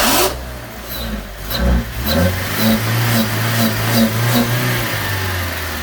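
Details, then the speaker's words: Suzuki Swift engine misfiring as throttle is blipped after fitting a K&N universal air filter from a Fiesta; uneven, stumbling revs with irregular pops and hesitation; no check engine light, smells of petrol, cause unknown. "Oh, she's misfiring. Yeah, she don't like that. She does not like that at all."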